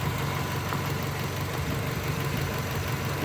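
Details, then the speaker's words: 1995 Subaru Legacy LS wagon, recently back in use after sitting nearly 3 years: steady, even low rumble with no knocks, misses or surges; engine idles smoothly and sounds healthy. "But as you can hear, the engine runs nice and smooth."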